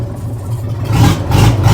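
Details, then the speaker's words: Weatherill loading shovel's six-cylinder diesel, revived after 18 years standing, moving under its own power through a rutted yard. It gives a steady low rumble that pulls harder under load with no missing pulse; it runs on all six. "listen to that now running on all six is a enough that is mad a see I told you a bit of work and that may free that valve"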